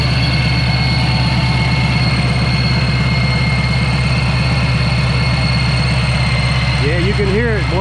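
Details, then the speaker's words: 2019 Mustang Bullitt V8 with Vortech V-3 Si supercharger, cold start idling slightly high: steady high-pitched supercharger gear whine heard from the rear over the deep lumpy exhaust idle; normal gear drive whine. "it's still kind of cold start so it's idling up a little high hell you can hear them heritage gears all the way back here over the exhaust"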